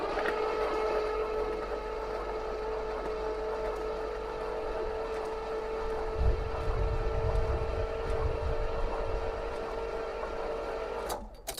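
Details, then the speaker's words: 1973 Pontiac LeMans, cylinders soaked with transmission fluid, fresh battery with charger on boost: starter cranks easily with a steady whine for about ten seconds but never fires; compression uncertain; no spark suspected, condenser wire found disconnected. "It's turning pretty pretty easy. Feel good about that. I don't know if I hear a lot of compression, but for now, I'm just happy that it turns over very very easily."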